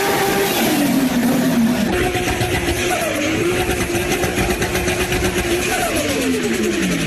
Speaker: well that that that whistling sound you're hearing is actually that turbo spinning 360 000 rpm sucking in air and forcing into the engine okay it's going to make a whistling sound